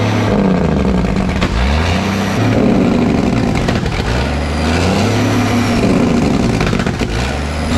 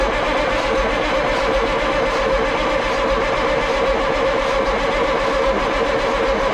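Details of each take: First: Ford cabover with 14 L Big Cam Cummins, sat about 10 years, jake brakes hotwired: loud diesel at high idle with irregular sharp pops and cracks; unburnt fuel pushed into exhaust as jake brake opens exhaust valves on compression stroke. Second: Ford cabover truck with 14 L Big Cam Cummins diesel, sat 10+ years, cranked on jumped starter solenoid with fuel solenoid disconnected so it can't fire; steady starter churn, no firing, building oil pressure before running (turbo feed line flowing oil).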